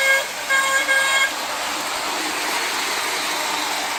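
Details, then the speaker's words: Lionel 2032 Erie FA-1 toy diesel locomotive, after a wiring repair, on the test track: short bursts of a shrill, high two-tone honk over a steady hiss, ear-piercingly loud. The battery-powered horn works. "the horn also works as well which is a bonus but it is a bit earpiercing loud though"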